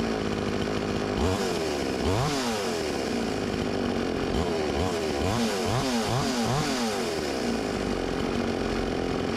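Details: Stihl 20-inch chainsaw, new, returned by a customer: rough idle, and each throttle stab surges briefly then falls back instead of revving; bogging, later traced to a damaged crankshaft and flywheel.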